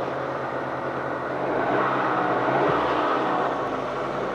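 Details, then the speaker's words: Rover 216 convertible with fuel pump trouble, jump pack fitted for a low battery, owner suspects it was sucking air: engine finally starts and runs steady and even with smooth hum, no misses, stumbles or knocks. "So let's give this one more go. Oh, again, at last, it's working."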